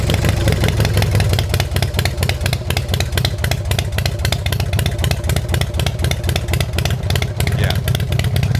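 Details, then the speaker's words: 1990 Harley-Davidson Fatboy with newly installed S&S Super E carburettor, idle screw turned a further quarter turn before warm-up: loud, fast, even V-twin beat with dense clatter and no dips; idle set too high, to be lowered later. "So that's definitely gonna idle high now."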